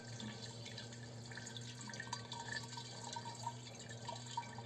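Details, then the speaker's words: Fuel pump running with fuel drained from the tank: the stream splutters unevenly over a steady pump hum. A clogged pump inlet strainer sends foaming fuel to the rail despite normal gauge pressure, causing large fuel trims and poor power. "Но по факту в рампу поступает не бензин, а топливо-воздушная пена. Насос исправен, проводка в идеале, но двигатель задыхается."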